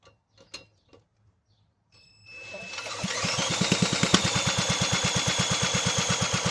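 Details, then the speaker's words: Toro 18005 mower, Tecumseh engine (possibly TVS series), carburetor cleaned, fuel tank refitted and fueled, oil barely on dipstick: after a few taps catches into a quick, even firing beat around three per second; first start, runs fine. "Hey, she fired up. >> She'll be a runner. Holy cow. I honestly did not have high hopes for this engine given the state that I found it in."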